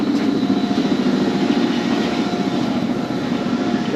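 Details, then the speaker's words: Concrete batch plant conveyor belts restarted for the first time since December, ahead of 2-yard test batches: steady, even rumble and low hum with no squeal, slap or knocking; belts running smoothly. "The belts are rolling. We're only going to do a couple 2-yard test batches, just to make sure the plant operates like it's supposed to."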